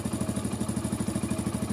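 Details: Hero Splendor Plus single-cylinder bike after fixing timing chain noise: even putter of about ten firing pulses a second, no chain rattle or tapping; clean, healthy idle.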